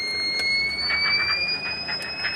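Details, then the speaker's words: Microtek V8 inverter, output light on, mains connected; transformer feedback wire checked OK and a faulty relay replaced, yet a steady high-pitched beep sounds continuously once mains comes on; continuous fault beep, cause not yet found. "ये देखिए मैं on करता हूं। Main आता है। आने के बाद ही बीप साउंड आ जाता है।"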